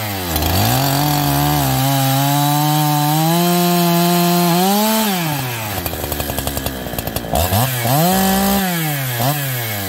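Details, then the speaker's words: Farmertec 288XP kit chainsaw, first start after build, decomp sticking: two-stroke screams up then sags and stutters with uneven pops under load in a cut; fuel-starved bog, owner suspects bad aftermarket carburetor. "i think we have another bad aftermarket carburetor"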